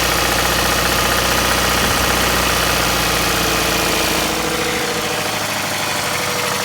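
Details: 2005 Scion tC TRD idling: steady, fairly regular knock about three per second from the front of the engine. Owner suspects the timing chain, chain tensioner, phaser or broken chain guides; unconfirmed.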